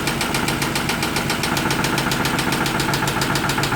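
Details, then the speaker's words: 2008 Ford Mustang Bullitt 4.6L 3V V8 idling with a quick, even tapping of unknown source; cam phaser, VCT solenoid, coils, spark plugs, valve lashes and lifters already replaced without curing it; engine not blown. "So this is the weird noise coming from my brother's Mustang."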